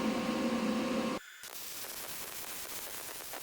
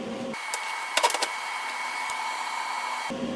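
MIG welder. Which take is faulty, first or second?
second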